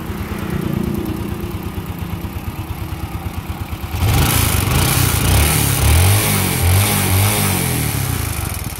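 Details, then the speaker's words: Motorbike: smooth at idle, then under throttle a hard metallic clattering knock rides the revs; piston knock, engine to be taken apart for repair. "khi chúng ta gài lên là bị quả nó bị vẫy gõ tức là gõ quả mới gọi là gõ quả đấy gõ quả gõ ác luôn"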